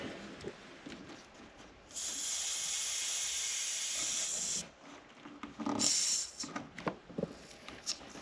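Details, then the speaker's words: With engine off on a 1996-1999 Chevy/GMC truck (Tahoe/Yukon), cracking the vacuum line at the brake booster gives a steady sharp hiss of air rushing in for a few seconds; booster still holding vacuum, seal good. "So, all I'm doing is just moving that and that's allowing air to go in there. So, usually that tells you, okay, there's vacuum there. It's holding the seal."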